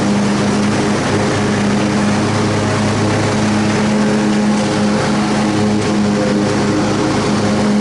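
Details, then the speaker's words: Repaired Troy-Bilt Super Bronco riding mower under cutting load: steady engine drone, constant hum and even blade whir. The earlier pounding is gone and the mower runs and cuts normally. "Oh yeah, she cuts grass just fine."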